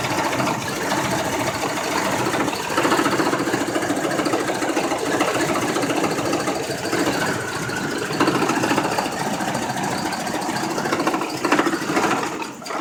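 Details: Chevrolet Colorado that was fine this morning, now idling unevenly with a wavering, lumpy beat and a sewing-machine clatter underneath; rough idle, cause not yet clear.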